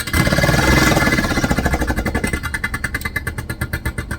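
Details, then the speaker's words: Vevor milk cream separator running with hot water; harsh hammering rattle about four knocks a second, slowing slightly, far too violent; owner suspects a part inside set up incorrectly, as happened before. "That's not supposed to make that sound. This actually happened the last time I did this. I had to have my husband help me because I didn't set something up correctly in here."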